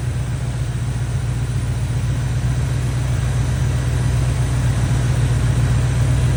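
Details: Chevy square-body barn-find truck, automatic V8 (called a 350), after timing set by ear and a distributor, carburetor and ignition tune-up: deep, steady burble with an even beat, no stumbles or ticks; idling smoothly, motor running decent.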